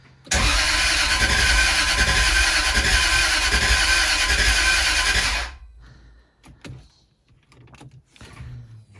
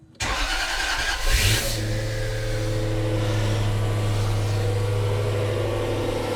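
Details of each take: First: Jaguar S-Type V8 with a new engine, new plugs, primed fuel system and WD-40 in the cylinders: steady fast cranking for about five seconds that never catches; no start, before the crank position sensor connectors were swapped. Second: Jaguar S-Type V8 first start after new engine fitted, about −10 °C outside, belt not connected: starter whirs briefly, catches and settles into smooth, even, quiet low idle, lots of smoke that clears; normal idle.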